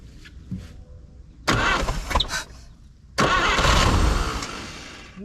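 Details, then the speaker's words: 1950 Chevrolet Styleline, parked about 7-9 years, first start attempt on priming fuel with fuel line off: after a pause a rough roaring burst runs about two seconds then dies, brief fire then stall. "what she popped off in like two seconds she didn't even get like a full Revolution and it popped super excited"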